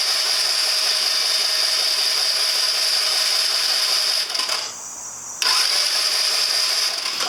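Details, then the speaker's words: 2009 Genuine Buddy 125 scooter with spark and apparently good compression, carb already cleaned: starter spins the engine with a steady high-pitched whirr and no firing; no fuel reaching it. "Yeah, so it's not getting any fuel at all."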